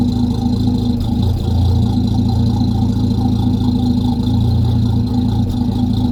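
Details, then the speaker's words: Land Rover Series 3 109 2.6 petrol during a tune-up, idling after starting first time: revs a bit low but oil pressure building and very good, quiet engine; low, steady, even idle rumble with smooth exhaust beat, no knocks or misses; normal idle. "hear that the revs are a bit low but the oil pressure is building up"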